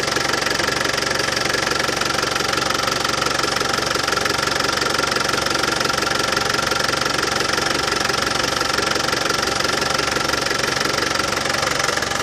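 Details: Land Rover Defender 200Tdi diesel at warm idle after new power steering pump fitted: even steady clatter, no rattle; new pump cured it.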